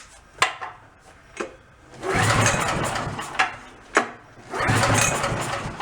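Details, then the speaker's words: Small generator given away after others fitted a new carb, ignition, plug and low-oil shutoff; on a cold start attempt it cranks in short pulls but won't fire or run. Spark is present, so choke is tried and fuel delivery to the carb is checked. "didn't run at all i see the spark firing so let's try giving some of the choke"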